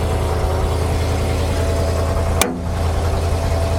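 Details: Auction-bought farm dump truck: low, even idle hum with one brief click, running smoothly; owner still thinks the carburetor needs work.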